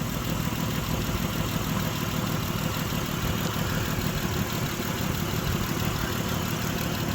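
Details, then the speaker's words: 2006 Mitsubishi Pajero 3.8 litre, P0304: steady low idle with a faint uneven lope, one cylinder not pulling its weight; misfire stays on cylinder 4 after a coil swap. Cause suspected, not confirmed. "So guys, we changed the spark plug and we still had that misfire on cylinder 4."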